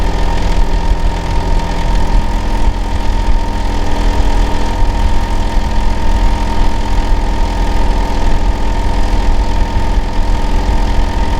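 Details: Neighbour's Hitachi air conditioner outdoor unit running in winter, heard from next door; heavy steady low drone with a faint constant tone, especially loud in summer and winter; cause unknown.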